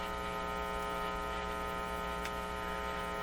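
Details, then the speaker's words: Canadian General Electric C701 console radio-phonograph amplifier with nothing playing: constant low buzzing hum at steady pitch; mains hum suspected from poor shielding and unshielded wires, not confirmed. "i don't want this flying into that strikes me the shielding is not great maybe it's these wires over here there's unshielded wires here"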